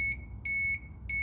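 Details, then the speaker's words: 1991 Kawasaki ZXR750 twin-turbo fuel-injected project bike, checking power with a cordless test light: three sharp, even high beeps about twice a second; test light signals voltage present. "it's a cordless test light so there's no earth lead that normally goes from here to earth"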